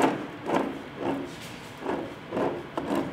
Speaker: the gearbox is in neutral at the moment so I'll just spin this yeah that's noisy it doesn't sound too clever